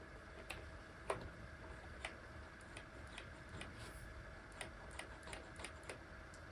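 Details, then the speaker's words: Guitar volume/tone potentiometer after cleaning with DeoxIT D5 contact cleaner: turning the knob gives only a few faint soft clicks, with no scratch, crackle or static. Quiet, clean pot after the fix. "well there you have it our clean connection is restored no more crackling noisy static"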